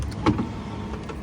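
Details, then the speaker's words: Mercedes Econic truck driver's door window motor, window won't shut, operated for checking: uneven whir with loose clunks early on as the motor shifts; old motor not secured to anything, whole motor moving around in the door. "so this motor I'll just operate it so you can see see the old motor is not secure to anything the whole motor on the door's moving around"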